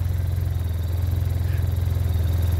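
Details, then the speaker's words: Arctic Cat Norseman sled idling after the rattle fix (foam added). A deep, steady thrum with an even shake and no metallic buzz means a normal idle and the rattle is gone. "a little bit still vibrating but it's not rattling I knew we'd never be able to stop that vibration oh my get it go but it's quiet"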